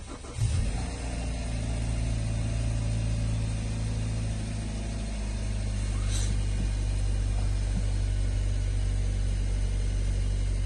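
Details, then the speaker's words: Hyundai Sonata 2.4 with a knock complaint, started after cleaning the suspect solenoids: steady even idle with a low drone and no tapping or knocking for now. "пока работает чисто я не слышу не слышу вообще стука двигателя двигатель работает достаточно Ровно"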